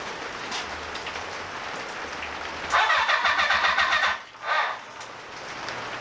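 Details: Honda cafe scrambler motorcycle, first start attempt in 21 years after carb rebuild and rewiring: short burst of starter churn, even pulses about four a second, rain hissing behind; turns over but never catches.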